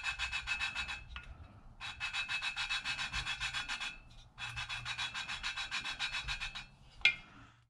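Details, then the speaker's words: Honda EU2000i generator engine valve being hand-lapped into its seat with compound: steady back-and-forth gritty rasping strokes, three to four a second, tone becoming less gritty as the seat smooths. "as you can see already it's not so gritty anymore"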